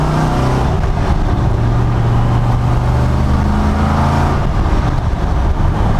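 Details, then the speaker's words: 1974 Corvette V8 after carburetor tune including float height, on first successful cruise, warm after a couple of hours running: deep strong pull under throttle, raspy exhaust from about 3000 rpm, clean and even with no misfire; running right. "i gotta get a camera on that rear bumper and just get some exhaust notes with this thing because it sounds so so good as soon as it gets in like the 3000 range the rasp comes out oh my god oh that sounds so good"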